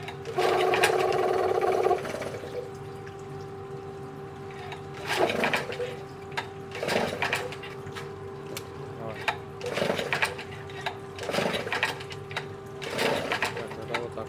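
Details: 1987 Yamaha 6 hp outboard from Japan, original short shaft, choke half closed on test start after checking gearbox oil: steady small two-stroke buzz with periodic watery surges; runs evenly, healthy.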